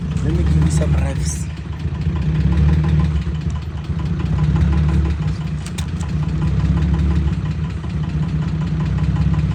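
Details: VW Golf Mk1 (VR6 tagged) with broken exhaust awaiting repair, revved; loud, raw low rumble swelling and falling with each throttle blip. Broken exhaust.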